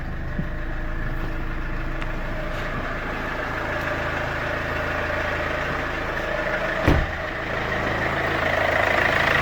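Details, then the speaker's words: 2014 Infiniti Q50 2.2 diesel (OM651) idling after replacement of the V-belt, tensioner and pulley. Steady, even diesel clatter with no squeal, chirp or rattle from the belt drive: a normal, healthy idle. "as you can hear no strange sounds or whatever rinse okay so consider it done"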